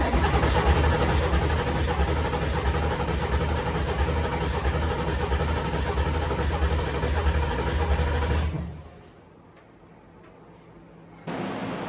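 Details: Ford Coyote V8 swapped into a Fox body Mustang, first start attempt: heavy steady low cranking for about eight seconds, cutting out without firing; crank no start.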